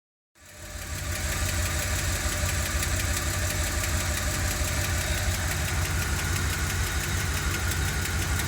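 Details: 1990 E460 with 7.5 V8 big block at idle; steady light top-end ticking about three per second over a smooth idle, source unknown.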